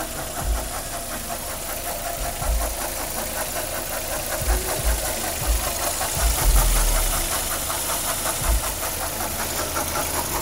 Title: Knocking sound coming from engine